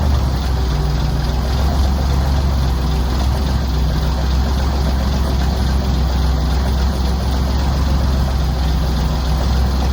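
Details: M109A3 (M35A2) military truck diesel idling just after a cold start, having sat outside all night at 30°: deep, steady idle holding even for ten seconds, no misses or knocking; engine runs fine.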